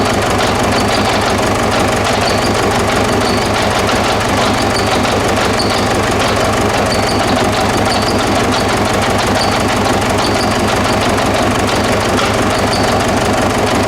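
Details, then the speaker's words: 2009–2010 Ford Ranger (Mazda BT-50) 3.0 L common-rail turbo diesel, started on external fuel spray: clattery idle with an uneven beat and a periodic stumble; misfire from the number 1 injector; rail pressure about 38 MPa. "Injectors are working, however there is a misfire and we already addressed that. The number one injector has some problem."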